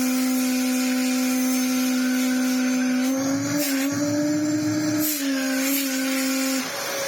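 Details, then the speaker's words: Restored Dyson DC07 Clic, clutch not rebuilt and clutch cover not fitted: steady high motor whine wavering in pitch with rushing air as it's moved. An air leak past a seal is suspected. "that noise well I say oh it's almost like it's got a leing somewhere when you hit it sounds like a shark cylinder I take the cyclone no it's a seal somewhere"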